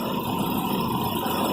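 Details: Petrol engine ticking over steadily at a slightly raised idle, even and without stumbling, after raising the idle speed control screw; it had idled lumpy when cold, and a water-spray test found no vacuum leak.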